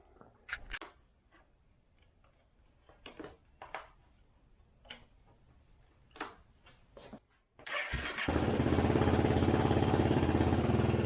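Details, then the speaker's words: 2017 Honda CRF250L single-cylinder dual-sport engine starting and idling: a few light clicks, then a busy idle with a fast top-end rattle; owner suspects timing chain or an out-of-adjustment rocker arm; cam chain tensioner rattle. "The timing chain is on this side, although it does sound like a out of adjustment rocker arm."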